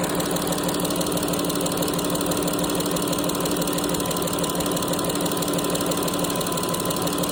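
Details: Pentastar 3.6 engine at idle with a light, fairly even tick about three times a second while the engine cover rocks; cause not yet identified; engine ticking at idle.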